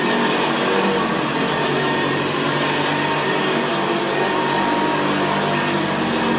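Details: 1975 Hoover Senior Ranger U4002 vintage upright vacuum cleaner on carpet: steady, very quiet motor hum with the coarse gravelly brushroll growl typical of the Ranger, no pitch change; normal healthy running.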